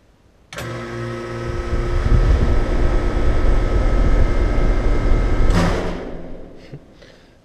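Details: Heat pump outdoor unit with compressor common reconnected: steady condenser hum, compressor and fan cut out together, dull thud as it winds down; condenser fan thump on shutdown, fan motor to be changed.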